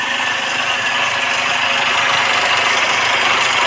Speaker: suara mesin mobil yang bagus dan normal itu seperti apa suaranyaal ada tidak ada kemeluduk tidak ada kemelutuk tidak ada suara kemresek dan tidak ada suara mengelitik